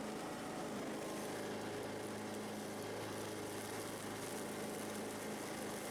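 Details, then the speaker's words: Husqvarna YTH18542 riding mower after deck rebuild (new pillow blocks, old belt, some wrong parts), blades engaged: steady, even engine drone with no squeal or knock; job called a success, though owner says mower still shakes. "okay it cranks it cuts it goes doesn't squeal so i'm gonna say the job is a success it works"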